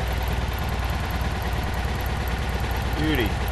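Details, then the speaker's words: Vintage VW Beetle after carburetor clean and partial restore, just started and warming up, choke on: low, even, steady putter with no misses, knocks or hunting; normal idle, takeoff hesitation gone. "Idling good. Let's let it warm up a little bit."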